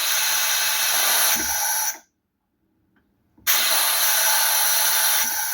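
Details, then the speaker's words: Military Militant truck foot brake control unit on the bench, fed workshop compressor air with taps as dummy brake chambers, pedal pressed: strong steady air rush, a quiet gap, then an even rush again; valve passes air normally. "Air's going through, that's doing what it should."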